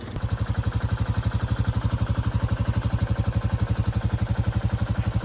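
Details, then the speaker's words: Used Honda motorcycle bought off marketplace: loud, deep steady exhaust pulse about three beats per second; engine bogs and won't rev freely up top, no power or speed, unusually loud, cause unknown. "It's not like a carburetor bog, but up top it doesn't want to like rev freely, it sounds like. I don't really know how to explain it. It just has no power, no speed."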